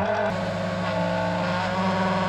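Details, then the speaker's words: Audi A4 1.9 TDI auxiliary (Eberspächer) heater, which often fails to ignite in cold weather: the circulation pump hums with a coarse, uneven edge while running dry with no coolant. The planned fix is an extra ground for the blower. "Siellä nyt on pumppu tyhjänä, niin se kuulostaa vähän raakalta, kun siellä ei ole nestettä."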